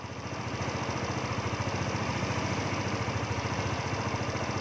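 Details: Yamaha Novo scooter after the ISC valve fix that cleared error 37: an even, low putter at about three and a half beats a second with no hunting or stalling. Steady, healthy idle after repair.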